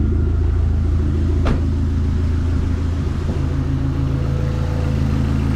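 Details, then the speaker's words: SRT4 after repair of a failed aftermarket clutch pivot ball and broken bearing retainer, ground wire and battery connections cleaned, transmission reinstalled: steady even low rumble, smooth idle, no knocks or the earlier throw-out-bearing-like rattle; running normally. "running good everything that we needed to take care of was taken care of"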